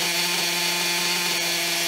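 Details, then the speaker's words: Maxy's Cinco 2.0 nitro RC engine mid break-in on a stand with Bones break-in fuel; steady high buzzing idle, even pitch, no surging, normal. "so the breaking fuel which this break has been going pretty good you're going pretty good uh she's starting to idle like nothing no problem"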